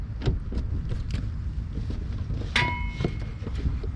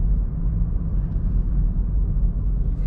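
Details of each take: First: Chevy Cruze rear suspension: single sharp metallic click with brief ring as the rear is rocked by hand, camera near the rear wheel; noise comes from the rear bar, a common creak, cheap fix. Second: Chevy Cruze rear suspension after WD-40 fix for creaking, driving slowly over speed bump at an angle so it twists: only steady low road rumble, no creak or groan; normal rear suspension.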